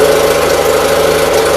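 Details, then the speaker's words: 816 tractor idling out of gear after new loader hydraulic hoses were fitted: steady run with light regular patter and mid-pitched hum, no misfire. Runs really good. Carburetor still to be worked on. "Should be out of gear. The tractor runs really good. I just need to put a seat on it yet."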